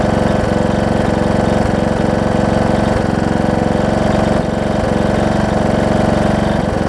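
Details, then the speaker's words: John Deere D110 mower engine test-running after a full rebuild with a new head gasket, done after a detached flywheel magnet was found: firm, regular beat at steady speed with a few slightly uneven pulses. Possible valve-cover oil leak, maybe just burn-off. Normal running. "whoa i said seems to run good oh so good"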